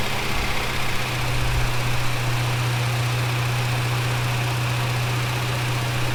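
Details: Holden HK, engine just installed, first run: steady, even idle with a firm low hum and no knocks, ticks or misses; sounds healthy, though a welsh plug leaks on one side.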